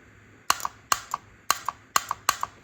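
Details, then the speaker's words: Toyota Supra Mark IV transmission transbrake solenoid bench-tested with a 20V DeWalt battery after a lab supply lacked amperage. Crisp pull-in and release double clicks come about twice a second. The fault was coating on the wires, now stripped, and the solenoid works. "So the lab power source wasn't able to provide the amperage that I needed to make this all work, but the DeWalt battery is powerful enough, and it's 20 volts of DeWalt Fury, and that made it click."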